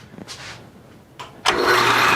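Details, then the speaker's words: Newly moved-in used machine tool (Bridgeport mill or South Bend lathe) first switched on in forward: loud, rough, hissy whir; bearings said to be in pretty bad shape, replacing them should quiet it. "That sounds scary. The bearings, he said the bearings are in pretty bad shape. So that's a thing that can easily be replaced and it'll be quieter."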